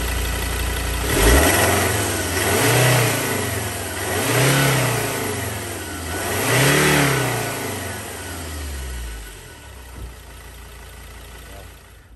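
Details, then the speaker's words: 2016 Ford Everest 3.2 diesel, 215,000 km, after an intake manifold carbon clean and a test drive: three clean free revs rise and fall smoothly back to a steady idle with no knocks or hesitation. Normal revving. "much quicker Off the Mark engines much smoother through the whole rev range so quite happy with it we'll give a quick rev just to hear what it sounds like"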